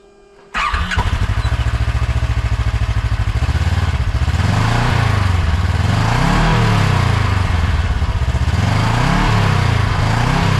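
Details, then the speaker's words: Newly installed GGB trail edition muffler, with the GoPro placed close to it: engine catches and settles into an even, deep burble, pitch rising and falling with light blips, not crazy loud; healthy exhaust note. "Not crazy loud. Good. Does sound a little better. A little meatier."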